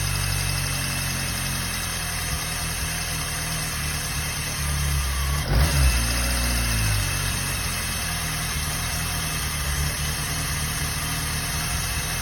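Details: Peugeot 106 1.1i petrol engine at idle: a steady hum with a light, fairly regular tapping about four times a second; engine noise of unclear cause.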